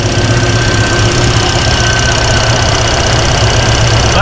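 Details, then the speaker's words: Ford Mustang with TKX transmission and Holley Sniper 2 EFI on V8, warming at 140°F, fuel pressure about 58 psi: smooth idle with IAC audible and light quick injector ticking, about four per second; normal. "I can hear the sniper a little bit like the iac and you can hear the injectors ticking."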